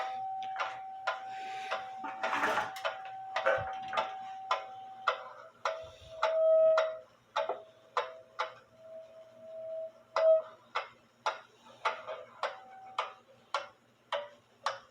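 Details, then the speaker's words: Drop dial case clock with wooden plates and double fusee (time and strike) movement, believed made by Meyer, London, mid-to-late 1800s; tick and tock unevenly spaced and differ in loudness, checked after settling; out of beat, to be corrected by tilting the clock. "and there's not that much of a difference when I raise the movement so I think tilting the clock and getting it and beat will be fine because it's not going to be that far off"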